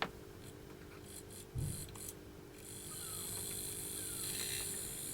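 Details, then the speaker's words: Hornby Jouef Eurostar model train motor, sealed can, bearings just lubricated, on test before reassembly: soft steady whir with faint even hum, no grinding or rattle; runs smooth and quiet. "and it's very quiet you can hardly hear it"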